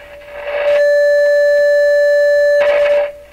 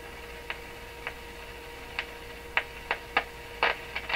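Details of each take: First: Rogers 11RA651 shortwave radio audio stages, signal fed into the phono input (built for a ~1 V ceramic cartridge): loud steady ~600 Hz tone with faint overtone, clean, no hum or motorboating; amplifier output normal. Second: Rogers 11RA651 shortwave radio at full line voltage on outdoor antenna, 6F6 output tube: irregular sharp clicks about two a second over low hum, no motorboating; owner suspects something breaking down inside the set, unconfirmed.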